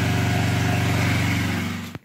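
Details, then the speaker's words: Small petrol generator converted to natural gas, valve set to middle position, load connected for a one-hour consumption test: steady, even thrum under load whose sound changes and dips briefly near the end; running fine. "Ну и засекем сколько он использует Газа так вот я подключаем мы проверим на ней сколько будет потреблять в течение часа слышно как изменил звук"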